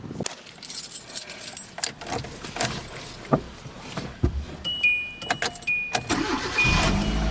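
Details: 2010 Hyundai Accent started right after installing a new cam/crank sensor: keys jingle, starter clicks, then the engine catches quickly and settles into a low steady run; normal start.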